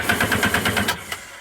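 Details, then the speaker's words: Sea-Doo Sportster Speedster jet boat, starter solenoid suspected, cranked by shorting the solenoid: about one second of quick, even cranking chugs, roughly eight a second, then stops without firing, since it needs the key start signal to fire. "it turns over no problem it's not going to fire because it wants to see it fire from the key"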